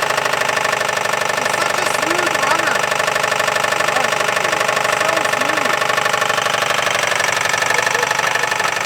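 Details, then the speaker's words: 1959 Buick 364 Nailhead V8, first start since parked in early 1970s, quiet exhaust, oil gauge reads halfway: loud heavy rattling knock about three per second at idle, loose bottom-end sound; suspected rod knock, unconfirmed. "it allows you to hear the horrifying rod much better is that rod knock it's gotta be i'm thinking it's a lot of noise and it sounds like it's bouncing around"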